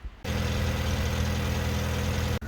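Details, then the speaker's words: Car (Gladys) running after its battery went flat from discharging itself over a couple of days; the cause was found to be the rear demister staying on. A steady, even low-pitched idle with no misses, knocks or rattles; normal idle. "Gladys happily running now and now I know why the battery had gone flat in the first place"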